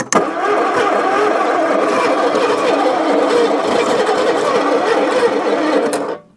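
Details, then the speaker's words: 1966 Ford Zodiac Mark III abandoned for decades, with a replacement starter and oil squirted into the cylinders: a steady fast crank, roughly three to four turns a second for six seconds, without firing; the new starter is clearly stronger. "and the second observation is that that starter is definitely stronger"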